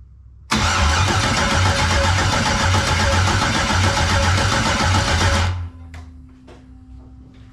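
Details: 1999 Firebird with an LS LM4 swap, first start attempt on a makeshift fuel system: even cranking for about five seconds, never fires. Spark seemed weak and inconsistent; injector 12V is being checked during cranking. Cranks, no start.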